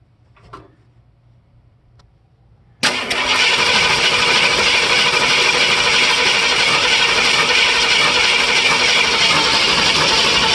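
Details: Ford 302 V8 cranks, catches, then idles unevenly with a loping, stumbling beat from a worn-flat cam lobe; a collapsed lifter was ruled out.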